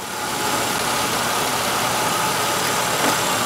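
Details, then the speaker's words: 1996 Buick Century 3100 engine idling after cylinder 5's stuck-closed Multec 2 injector was mechanically unstuck: even idle under a loud hiss, no stumbles; misfire counters show cylinder 5 misfire gone. "if you look at our misfire counters you'll notice that my misfire is gone on my number five cylinder and you see the RPM is moving so we are running engine's idling misfire is gone on the number five stuck closed injector"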